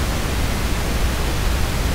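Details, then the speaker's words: Phono stage noise floor recorded as the 47k loading resistor alone: soft even steady hiss with no hum, buzz, crackle or pops; a clean normal noise floor. "the hiss is always going to be there in fact I recorded hiss using this and what you're going to hear is just the sound of the 47k loading resistor"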